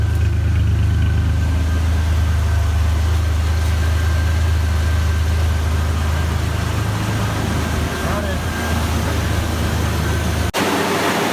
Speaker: right now we are mixing the coolant and then we're gonna put it in and turn it on that's the sound of a car that's alive